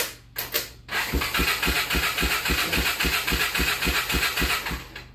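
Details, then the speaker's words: ATV crank-no-start, solenoid jumped with a screwdriver due to wiring issue: starter turns engine over at about four beats a second, steady and even, but it never catches, even with choke on and throttle pressed. "cranky they not starting standby okay then you can even check it with the choke on pressing the gas that sort of thing and no and no difference"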